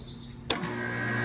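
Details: Outdoor AC condenser after replacing a bad dual run capacitor (tested about 45/5 µF): sharp contactor click, then steady electric hum builds as the unit starts normally; unit still needs cleaning.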